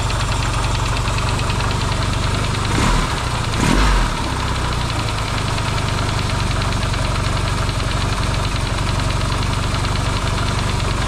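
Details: Yamaha XS650 engine rebuilt to cure oil burning, first start after reinstalling in frame, warm, some break-in smoke: steady even idle with deep regular exhaust beat, quiet, no pinging, ticking or knocking; normal idle.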